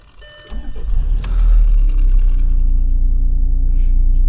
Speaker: For a car with 500,000, almost 500,000 kilometers, the way it starts, I am honestly surprised. It is one of the smoothest starting vehicles ever.